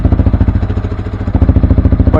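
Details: Yamaha R15 V3 with Akrapovic full-system exhaust at idle, after fixing the rattling honeycomb grill (back-pressure insert believed fitted backwards) inside the exhaust: even, firm thumps about nine a second, no metallic jingle; exhaust quiet and sound.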